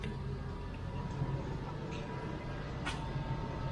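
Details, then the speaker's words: 1993 LSE air suspension raising from low to standard mode, rear first then front: low steady compressor drone running on while the car creeps up dangerously slowly; owner thinks the pump is on its way out. "it's quite slow in there i think the pump's on its way out here it works the system functions but dangerously slow"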